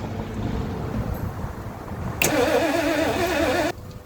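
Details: 1977 Lincoln Mark V V8 abandoned project, fuel feed disconnected into a waste can, cranked from the starter: starter whine wavering up and down for about a second and a half, then stops without firing; cranks, no start.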